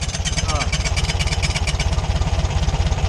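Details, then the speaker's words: VW Beetle engine at idle: a tinny rattle rides each firing pulse, about two per second, from the loose tin cooling shroud behind the crank pulley. The alternator was ruled out; the fix is to loosen two bolts and push the tin back. "É a blindagem. É a latinha da blindagem ali. Então é galho fraco, galera."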